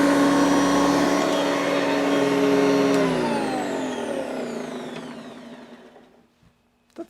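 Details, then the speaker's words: Vintage Hoover Decade 80 upright vacuum, reassembled after repair in which a dry motor bearing was greased: a steady high motor whine winds down smoothly at switch-off, with no grinding or rattle; normal, healthy motor run. "good not the best but it's good enough uh that'll probably get better with a little bit of use"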